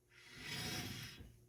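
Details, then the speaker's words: 2013 Chevrolet Tahoe front hub turned by hand, brakes off: dry raspy grinding swelling and fading with play in the hub, from a worn front wheel bearing, not the brakes. "yeah see how amazing that sounds that's not the brakes that's the wheel bearing"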